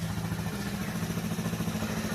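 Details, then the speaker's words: Old-model kick-start-only Hero Splendor after engine rebuild with bearing work, started on one kick: even, steady single-cylinder putter with no knocks or misses, smooth quiet idle; healthy engine. "एक kick में गाड़ी चालू। सुनिए इसका sound."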